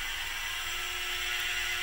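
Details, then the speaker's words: PM-25MV milling machine with a spindle bushing fitted under the spring, running at about 1,200 rpm: smooth steady high whir with no knocking or rattle; spindle and pulley run quiet and tight. "and that has worked fine just perfect for me in fact if I turn the spindle on its fired up the spindle sounds great"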